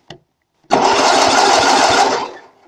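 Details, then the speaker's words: Lawn tractor with 8 HP Briggs & Stratton engine, sat about 40 years in woods, being restored with a brand-new coil and no kill wire yet: starter spins about 1.5 s with even compression chugs but never catches; cranks, no start. "Or it won't start, but it'll crank it over. But I don't have the kill wire on it yet, but there's a brand new coil in here."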